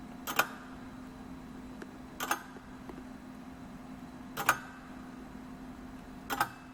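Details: Late-1940s Omega display model of a Swiss lever escapement (escape wheel, pallet, balance wheel) running normally: crisp, clean, evenly released ticks about every two seconds over a faint steady hum.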